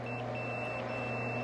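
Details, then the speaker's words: Continuity test on a Quantum Edge 3 Stretto power wheelchair (Q-Logic 3, iLevel), inhibit port pin to pin: high, thin steady multimeter beep three times over a low hum, confirming continuity while tracing a joystick power fault. "This is in the inhibit port, and right to this pin here, we get continuity."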